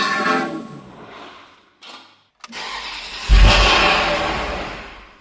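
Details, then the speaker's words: Ferrari, first start in two years after sludge cleanup, exhaust swap and ignition coil connectors refitted: cranks, catches with a loud rev, then dies within two seconds; throttle wasn't held, cause unconfirmed. Engine starts then stalls. "Did it turn off by itself? >> Yes, but I also didn't keep the gas on."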